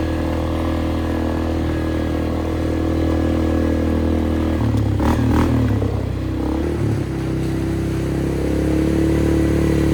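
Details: 2001 Polaris Sportsman 500 HO after flood repair, test riding: steady even single-cylinder thrum with brief clattery patch, no knocks, loud aftermarket muffler; running, driving, AWD working, fan cycling so cooling properly; primary clutch engagement delayed, clutch apparently modified.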